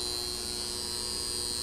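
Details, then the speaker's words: Lighting switch bank magnetic contactor, cover being removed: steady, hissy electrical buzz that never changes; owner suspects a rusty movable iron core or loose spring/coil, plans sanding; cause unconfirmed. "So kaya siguro maingay ito guys dahil yung kanyang tinatawag na movable iron core, baka may kalawang na guys, o baka yung kanyang spring, yung tinatawag na electromagnetic coil, baka maluwag na rin siguro."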